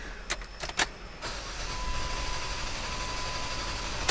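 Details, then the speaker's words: 2008 Jeep Wrangler JK 3.8L with a long-crank complaint after two crank sensors were replaced: a few clicks, then about three seconds of steady cranking with no catch before it starts and runs smoothly. The cause was later found to be damaged flex plate teeth. "that should give us plenty info it started but regardless i think that will give us the information we need"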